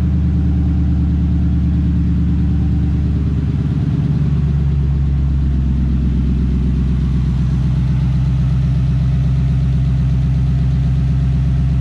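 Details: 2003 Ford F-150 with Coyote V8 swap and 2015 ignition switch on the 2003 harness, after fixing two reversed bulkhead pins: V8 catches and settles into a deep, steady, even idle; normal start and idle.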